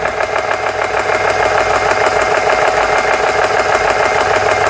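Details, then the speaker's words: GX CS3 compressor after O-ring repair (four O-rings replaced), nearing 4,000–4,300 PSI, grease burning off as it warms: even rhythmic pumping about two strokes per second under load; worked, slightly slow, owner thinks adjustable. "There it is. All right, she worked. Seems a little slow, but I think there's an adjustment for that."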